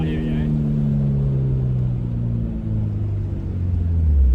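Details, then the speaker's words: Hyundai Excel under acceleration, windows down: deep smooth exhaust drone rising with revs, still decently loud but without the earlier raspy crackle; exhaust sounds healthy. "doesn't sound amazing, but it definitely sounds a lot better than it did before, so I think I'm pretty happy with that actually. It was just so raspy before, and I like how it's still decently loud."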